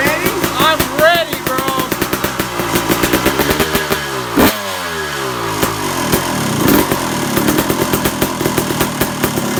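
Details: Suzuki RM250 two-stroke, first start and warming up, idle not yet set and not hot enough; crisp revs rise and fall freely with clean crackle, no rattle or bog, healthy running.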